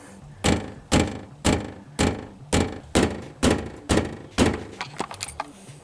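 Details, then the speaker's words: 2015 Lexus IS250 hood pushed by hand: hollow metallic thunks about twice a second, matching clicking/bumping heard above about 35 mph; hood bumpers screwed all the way down, fixed by raising them. "I think what's the wind is blowing on the hood and that is the noise we're hearing"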